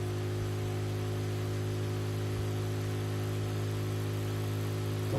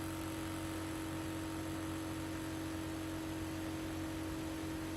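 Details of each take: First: Projector exhaust cooling fan on bench at 12 volts droning loudly and steadily at full speed, before lowering voltage with a buck converter for noise reduction. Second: Projector exhaust fan on a bench supply, voltage lowered from 12 V with a buck converter module to about 2 V for noise reduction: a steady, even whir with a soft hum, running quieter. Finding: normal fan running at reduced speed.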